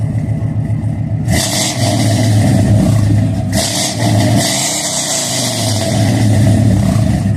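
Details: Car with new mass air flow sensor, long-tube headers and exhaust; deep throaty note rising and falling with crisp throttle blips, revs cleanly and returns smoothly; normal engine revving.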